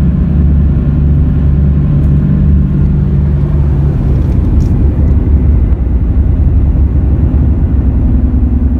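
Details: Car after front wheel bearing replacement, two bad rear tires: steady low droning roar at road speed, no knocking or grinding; roar traced to a defective rear tire, not the bearings.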